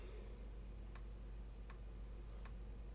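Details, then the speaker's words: Old Acer 3-in-1 PC on the repair bench: sharp clicks about every three quarters of a second over a faint whine and low hum; failing hard drive with bad sectors. "And the clicking noise again. Definitely an issue with a hard drive. These are bad sectors."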